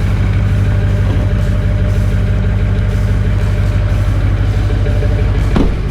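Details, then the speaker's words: BMW with a blown head gasket, started after sitting a few weeks, not cold outside: deep steady idle with a slightly lumpy, uneven pulse underneath, starting fairly well despite the gasket failure. "I like to start it up have a few weeks even though it's broke been a few weeks since I started it I'd say it starts up pretty good for a blown head gasket"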